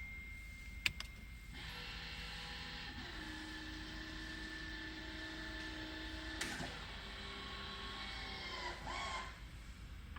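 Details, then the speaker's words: 2008 Mercedes-Benz S550 electric parking brake, reapplied after using the manual emergency release, heard from underneath the car: steady electric motor whir about five seconds, steps down in pitch once, then stops; actuator applies normally. "I will be listening that electronic part making that noise underneath the car."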